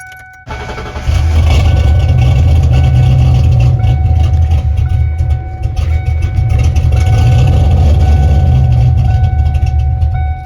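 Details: Ford Foxbody Mustang after fixing a no-power-to-fuel-pump fault with a new fuel filter, clips and fuel level sending unit: cranks briefly, fires right up and settles into a steady even idle with no misses; runs healthy.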